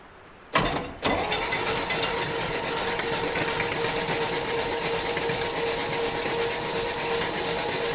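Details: 1965 Chevy rollback truck engine with rusted cylinders, after soaking: clunks then steady cranking drone with faint whistle, no firing; oil pushing out while cranking, owner suspects compression blowing past a previously stuck valve.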